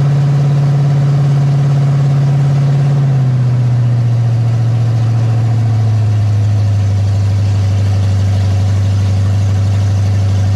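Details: Ford big-block 460 V8 in a 1956 F-100, first fire-up on open headers with no mufflers, fed from a gas jug, during cam break-in: deep, even rumble settling smoothly to a lower steady idle with no knocks or misses; normal idle.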